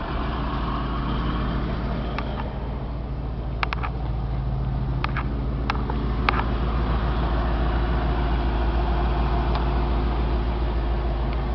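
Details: Ford F600 box truck, 7.0-liter petrol engine, 81,492 miles, fleet-maintained, started after sitting about a month: steady low rumble with an even beat and no knocks or misses; smooth, healthy idle.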